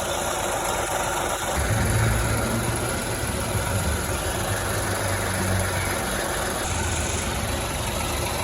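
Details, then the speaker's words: Ford Ka three-cylinder with battery light and belt/alternator pulley noise: rough uneven idle with heavy low shake and irregular pulsing, vibrating more than normal; worn engine mount suspected, mounts replaced along with alternator, belt and bearings. "tudo bem com esse motor ele vibra além do normal mas pô Olha como é que tá bem zoado"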